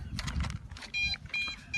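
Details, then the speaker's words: MJX Bugs 5W drone with antennas stuck out for range, flown far with FPV goggles: three short high beeps about every 0.4 seconds over light handling noise, the transmitter controller's low-battery warning, prompting return home. "but unfortunately my LBC battery on my controller start going be beep which you will hear that in a moment or so start going be beep"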